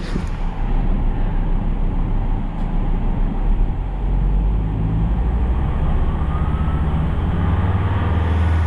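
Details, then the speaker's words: 2003 Volvo XC90 engine held at 2,500 rpm for a charging test after fitting a new 900 CCA battery; alternator previously charged fine. Deep, steady drone at raised speed, no knocks or surging; normal engine at raised speed. "So, do a charging test. So I need to increase the speed to 2,500 revs. Hold it for 5 seconds."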